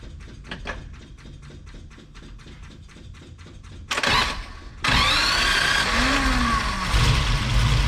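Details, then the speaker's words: 1963 Ferrari 330 America, not driven all summer, first start after carburetor repair: fuel pump fills the float bowls, several seconds of even cranking, then it catches with a sharp rise and settles into a strong, steady idle. "oh that worked all right let me put the rest of it back together"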